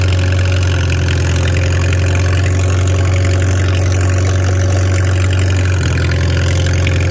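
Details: Farmall 300 Row Crop, 600-hour tractor, test drive after exhaust manifold replacement (original rusted through) and clutch adjustment, camera on chest rig; steady, even low rumble, no knocks, misses or hunting; running smooth and healthy, TA working.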